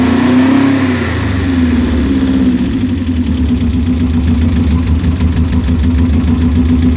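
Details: Subaru GC8 boxer engine idling with an uneven, lumpy beat and irregular stumbles in the exhaust pulses, consistent with a misfire at idle.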